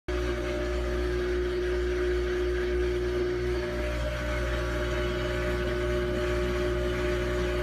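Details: New Samsung washer: steady loud hum with constant drone and tonal whine throughout the run; loud noise, cause not yet found.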